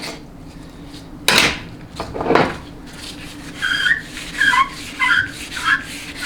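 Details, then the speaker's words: 4L60E transmission teardown, holding the center support and spinning the inner race by hand: short, high repeated squeals after some handling clatter. The race rotates clockwise and locks counterclockwise, indicating a healthy low roller clutch. "Okay, so when you're holding the center support and you're spinning the inner race, it's going to always rotate clockwise and lock counterclockwise. That screeching sound you hear is indicative of a healthy low roller clutch assembly."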